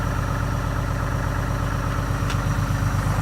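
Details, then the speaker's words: 2012 Ram Cummins diesel with deletes, idling in sub-zero cold without grid heater or block heater, power-reduced warm-up message shown: steady low idle with quick even pulse and faint turbo whistle; normal cold idle. "You can actually hear the turbo. There's something that says it's reducing power."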